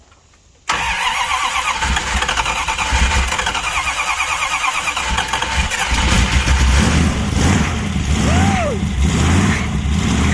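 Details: 1966 Dart 273 V8 with big solid cam, revived after years sitting: quick crank, catches at once and settles into lumpy, loping idle, strong and even; over 50 psi oil pressure at 1000 rpm, MSD ignition.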